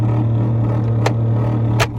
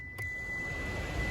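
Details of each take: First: 2007 Mitsubishi Lancer heater/AC blower fan switched on: a loud, steady low drone throughout; the fan motor is noisy. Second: 2007 Mitsubishi Lancer heater/AC blower fan, previously loud, plugged in and tested after repair: soft, even whir with a faint high tone and no rubbing or scraping; now running quietly.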